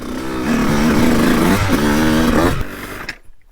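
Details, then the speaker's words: 2002 CR125 two-stroke before tuning, on stock jetting, ridden on a corner track: revs climb sluggishly with a wavering, blubbery tone, sounding backed up before pitch rises; bogs. "as you can hear it just sounds like she's backed up she bogs a little bit"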